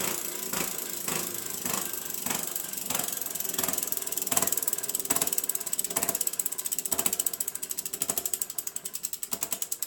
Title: Giant Talon 4 2014 freehub/hub issue (Grinding Noise)